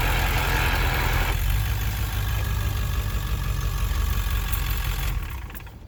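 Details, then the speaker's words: 1999 Ford F250 7.3L diesel with ZF6 manual: heavy low drone with loose uneven throb from driveline when in gear under load, first and second and 4x4 low alike; no gear rollover noise in neutral, clutch position irrelevant, downpipe contact checked; cause not pinned down. "my noise is pretty much the same no matter if I'm a tool drive for Drive or for low I would just love to know what this noise is I just really don't have any idea"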